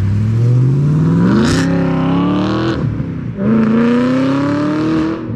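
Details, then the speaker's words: 2008 BMW E92 M3 V8 with old rusted exhaust, muffler cut off and replaced by stick-welded parts-store pipe, driving through two gear pulls: raw very loud bark with a brief dip between shifts; straight-piped, obnoxiously loud. "which essentially they cut off the muffler grab some pipe from AutoZone and put it together with a stick welder they got from Harbor Freight and at least it sounds kind of cool even though it's obnoxiously loud"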